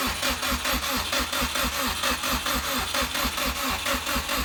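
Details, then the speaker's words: 2006 Subaru with swapped JDM WRX engine and 6-speed, first start attempt after install, weak battery: steady starter cranking about one beat per second, never fires; no start because the fuel feed line was connected backwards. "we got it turning over yesterday couldn't get it start realized that I had put the feed in the wrong direction"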